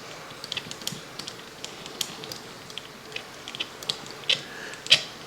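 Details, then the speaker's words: Mego Planet of the Apes Action Stallion battery toy horse, motor's large gear turned by hand while pressing a button: irregular dry clicks and ticks from a stiff, binding gear train; needs turning, oil or electrical cleaner to free it. "hear that noise? That's what the motor's going to sound like, but 1,000 times worse once it gets moving."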